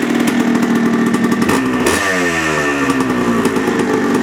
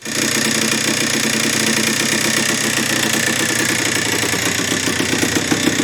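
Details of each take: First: 1980 Yamaha IT175 two-stroke after a rebore, first-oversize piston and new top end on 32:1 premix: a crisp buzz that blips and settles, smoky. The former piston-slap idle rattle is gone, with more compression and better throttle response. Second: 1980 Yamaha IT175 two-stroke enduro at idle: a dry, rapid rattle or ticking that grows more pronounced, plus low kick-over effort. Piston slap; the top end was found worn on an already first-oversize piston, needing a new piston and rebore.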